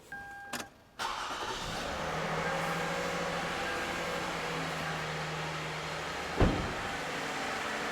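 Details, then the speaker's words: 2007 Toyota Avalon, 281,000 miles, cold start after sitting, condemned by two mechanics for a suspected stretched timing chain: brief crank, then an even, smooth, very quiet idle with no ticking, rattle or grinding, no VVT-i gear noise. "actually it's extremely quiet this is a cold London right now it's been sitting here for a while sounds perfectly healthy no ticking no noises no grinds"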